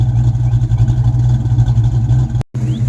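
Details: Ford Mustang V8 project car after alternator harness replaced with basic wiring and battery and grounds redone, started with two pumps: deep steady burble at idle, even beat, no knocks; starting no better, not charging.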